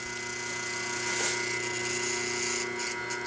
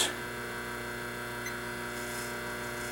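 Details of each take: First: 1976 General Electric Q174461 motor for a three-belt White Westinghouse front-load washer, 1/2 hp, 1725 rpm, 115 V, running on the bench: steady hum with a light, fast metallic buzz from a loose spring chattering on the motor. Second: 1976 General Electric Q174461 washer motor, 1/2 hp, 1725 rpm, running unloaded on the bench at 7.1 A, 118-119 V, about 215 W, 847 VA: steady, even hum with smooth high whir, no rubbing, knocking or grinding; healthy.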